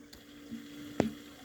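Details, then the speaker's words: VW Passat B8 2.0 TDI EA288 (DFGA) coolant refill after repair: coolant level dropping as one electric coolant pump runs; faint steady low hum under gurgling and dripping coolant, circulating normally. "Coolant drops and still is dropping because the coolant pump is working. One of them."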